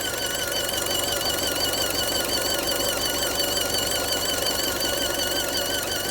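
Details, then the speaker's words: Fiat engine bay at steady idle: irregular light ticking about three per second with a thin wavering squeal on top; owner wonders if something broke, source not pinned down. "か変な音が鳴ってるよな。宙に壊れたか。"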